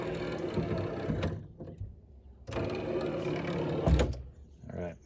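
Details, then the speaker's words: C4 Corvette passenger-side pop-up headlight motor bench-powered directly with reversed polarity: two short, slightly rough, strained whirring bursts; motor works but sounds more worn than driver side. "so this motor sounds a little worse for the wear than that one but it's working"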